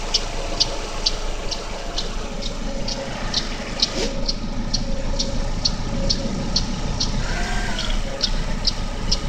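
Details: GM Daewoo Lacetti 1.5L E-TEC II F15D3 inline-4 DOHC at cold idle: sharp steady tick about twice a second, loudest between exhaust camshaft pulley and power steering pump; disappears after 15–20 minutes running.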